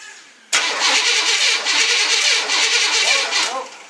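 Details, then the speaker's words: GM mud truck with 1987 electric fuel pump converted to an 1989 wiring harness: steady even cranking, never fires; no fuel reaching the engine. "okay still not getting any fuel up here"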